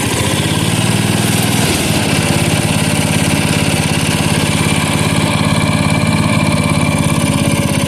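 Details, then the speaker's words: 1977 Bolens G10 single-cylinder restarted. It fires right up and settles into a steady, smooth thump of about 2.5 beats a second, far better than at the start. A permanent battery-to-block ground is planned for faster cranking. "Sounds good. Fires right up. That's a win. That is far better than it was at the beginning of this video."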